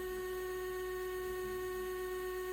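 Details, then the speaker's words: Samsung DW80M2020US dishwasher after replacing water inlet valve DD81-02265A: quiet, steady mid-pitched electric hum, no rattle; valve opening and water filling normally. "now the water water's turned on sounds like it's working"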